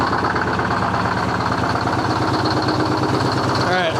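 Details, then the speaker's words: 1970 Peterbilt 341 with a blown-up Detroit 6V71 two-stroke diesel. Lumpy, uneven idle with irregular chugging about three pulses a second that doesn't improve; misfiring, heavy blowby, moisture and oil in the breather. "Yeah, that ain't good, boys. And it didn't get any better."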